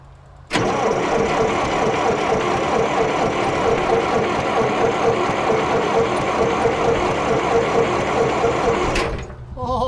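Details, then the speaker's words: IH 2504 tractor, Continental C-153 petrol engine, after sitting for years; starter turns engine evenly about eight seconds but never fires despite weak spark; cause unconfirmed, possibly condenser or cap. "so we've got spark we have an engine that turns over we got a starter we've got a start here we've got potential"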